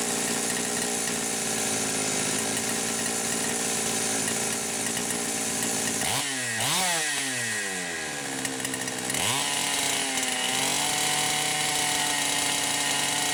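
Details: Poulan Pro 525 chainsaw (essentially Pioneer P52), no load, mixture about 1⅛ turns open, possibly lean: high free-running scream dips and surges back with uneven burble at top speed; governed carb's governor kicking in.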